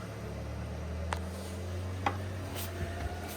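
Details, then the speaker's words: Yamaha gas generator with EcoFlow Delta running a basement sump pump during a 16-hour blackout: low steady engine hum, sharp clicks as the pump load switches in, speed holding firm; handles the load normally. "you can hear the generator firing up you can hear the Eco flow firing up this pump sucks a fair amount of juice"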